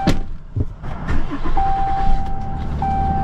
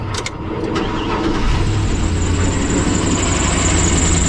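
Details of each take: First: Dodge Ram engine restarted after codes were cleared, with no codes and the check engine light out: door thud and chime over a low, steady idle with no stumble or misfire; it even runs better. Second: Isuzu NPR diesel truck, long idling with infrequent oil changes, customer says engine noisy: starts after short crank and idles with light rattling clatter from the top end plus belt chirp; valve train rattle.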